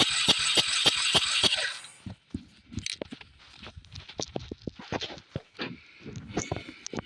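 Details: Xpro 125 ATV, valves not yet checked: a quick, regular cranking clatter for about two seconds with no catch, then scattered knocks; it turns over and seems to fire but won't start.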